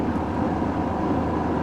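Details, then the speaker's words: Ford 4.6 Triton V8 truck, 322,000 miles: rough loping idle right after a reluctant start; misfiring with check engine light on, gauge shows no oil pressure, possibly a faulty sending unit. "she didn't want to fire up but now she did so make sure the Hood's pop she's misfiring check engine light is on"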